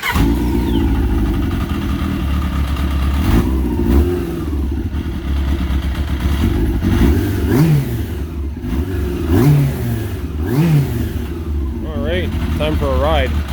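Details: Yamaha RX1 after ignition coils were cleaned of rust to stop arcing; on test ride it still misfires, revs blipping up and down with a stumbling, uneven note and clutch rattle underneath; misfire traced to gummed-up carburetors, which were then cleaned.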